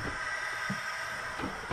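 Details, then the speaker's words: 1980 Peterbilt 359 with lowboy, engine idling, trailer feed pulled; steady airy hiss with soft knocks, louder since the glad hand leak was fixed; noise stops when the unit is unplugged, suspected trailer supply air leak. "It's over here. It's this thing still. And now it's even more intense because we fixed the leak on the glad hand."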